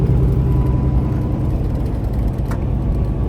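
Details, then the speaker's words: Truck cab while driving on the road: loose irregular plastic buzzing and ticking over steady road rumble from an open cup holder, stopping when pressed; cup holder rattle. "all this noise you're hearing in the background is from this cup holder and if you have the other one open too make the same noise"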